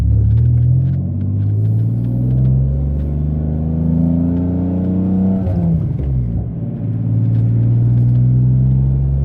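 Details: Mitsubishi 3000GT SOHC with gutted catalytic converters, previously falling flat around 4,500-5,000 rpm; windows up. Deep exhaust rumble rises smoothly through the gears, shifting around 4,000 rpm, without stumbling or falling flat; pulls cleanly at the top.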